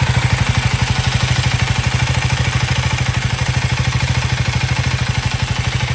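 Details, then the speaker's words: KTM Duke 390 Gen 3 (LC4C single-cylinder) at idle, recorded on a phone microphone: steady even thump about twelve beats a second with light combustion clatter, normal for this performance engine; healthy idle reference. "that was the idling engine noise I mean idling engine sound from this motorcycle and uh I hope that gives you an idea of what it should sound now this is a Performance Motorcycle so there is going to be some combustion clatter"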